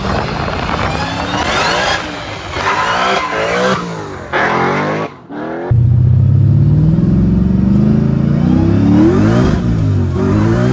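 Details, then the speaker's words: Nissan 350Z with Hellcat supercharged V8 swap on the street: sharp blips then strong pull with clean supercharger whine rising with revs, exhaust a bit louder; healthy, rear tires losing traction. "c'est le bruit de l'échappement car il est un peu plus fort, c'est ce que je pensais."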